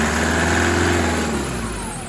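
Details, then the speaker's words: 2008 Toyota Prado 120 with a brand-new 1KD diesel, turbo and injectors, idling about five minutes on a cold morning with coolant near 40 °C. A light cold clatter slowly quietens as it warms. Normal cold running. "Alright, the engine's probably been running for about 5 minutes. It's slowly quietening down, but the coolant's only going to be about 40 degrees."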